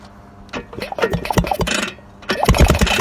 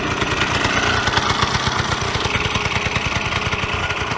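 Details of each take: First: Vyatka Elektron scooter, long-stored, wiring reconnected with a 6-volt converter, being push-started; uneven clatter as the engine turns over but never catches because no fuel supply has been arranged yet: cranking no-start, no fuel supply. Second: Vyatka Elektron (VP150M) two-stroke scooter revived after long garage storage, warm engine: quick, even popping beat holding steady with no knocks or misses; idling cleanly.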